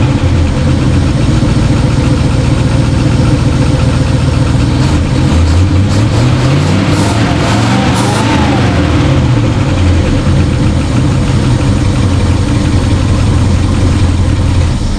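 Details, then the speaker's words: 1968 Ford F100 small-block V8, revived after 12–13 years in a junkyard: loud, uneven, lumpy idle with a sluggish swell when revved. Carburetor pouring gas, junk burning off, barely any acceleration; owner suspects a bad accelerator pump. Needs tuning. "So I'm gonna show you. It doesn't run perfect, but it needs some tuning."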